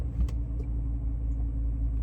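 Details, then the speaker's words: Audi D3 S8 V10 at warm idle after misfire repairs; fault usually appeared under load in the mid rev range. Smooth steady low rumble with no dips or stumbles, faint key jingle; normal idle. "it's steady. It's not doing this."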